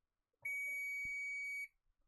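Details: Continuity check on a fresh replacement fuse for a repaired CNC spindle board for a 3020 CNC machine: one clean, steady high beep lasting about a second as the probes touch, showing the fuse has continuity and is good.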